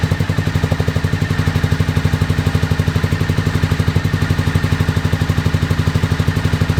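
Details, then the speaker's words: 2001 Honda VFR Interceptor V4 after nearly a decade in a barn, old fuel, FI light on; pipe heat test suggests only cylinder 3 fires, 1, 2 and 4 dead. Slow lumpy chuffing about four beats a second: engine running on one cylinder. "I deduced that uh the what is it one two and four cylinders are not running I think we're only running on the number three cylinder"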